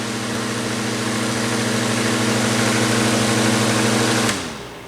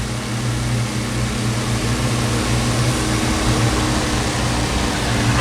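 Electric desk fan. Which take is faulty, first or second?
first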